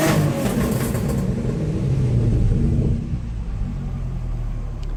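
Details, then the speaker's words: 1978 VW Scirocco with VR6 24v swap and hot tune, running slightly rich after several minutes; deep strong rev dropping back to steady low rumble, smooth, no knocks, possibly flames from exhaust; healthy revving. "Now, I'm not sure, but that may be flames coming out the back. It sounds like it. So that's pretty cool."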